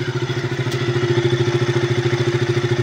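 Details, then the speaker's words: KTM RC 200 after an overhaul with aftermarket valves, once the valve clearances were corrected with two replaced shims: steady idle with an even low thrum and only a light, normal valve tick; the earlier loud ticking and stalling are gone. "Normal naitik na lang to."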